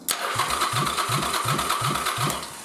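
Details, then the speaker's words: 1st Gen Yamaha Virago fitted with an xv1100 starting system and shimmed stator and pickups, cranked with ignition off: even starter whine with steady compression pulses, about three per second, no grinding or clashing; normal starter cranking, sounds like a second gen. "Oh, yeah. So, that still sounds good. Sounds just like a second gen."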